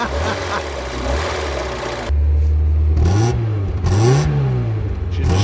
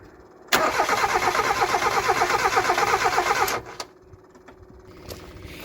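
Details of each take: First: Mazda MX5/Eunos Roadster off the road 13 years, first start on two-stroke oil mix: engine catches and runs smoothly, pitch rising and falling cleanly with throttle blips, no knocks or misses; healthy running. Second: Mazda MX5/Eunos Roadster off the road 13 years, fuel pump hooked up, two-stroke oil mix for first start: steady rhythmic cranking about three beats a second for three seconds, never catching.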